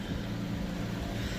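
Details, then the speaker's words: 2006 Pontiac G6 with electric power steering: low engine hum, then one sharp dull clunk each time a left or right turn is started, not while continuing to turn; a bad intermediate steering shaft, gone after replacement. "so just to recap this is what we're hearing it does that whenever we initiate a turn"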